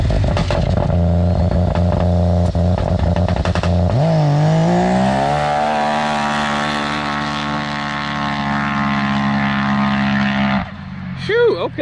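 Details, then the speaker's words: Can-Am Maverick X3 built to about 500hp with bigger turbo and steel-valve head, warming up then launch attempt: revs climb from a rough idle to a flat steady drone without boost building, suspected misfire; no boost. "okay okay so it sounds like we didn't get up on boost enough on the line so may have to raise the launch control"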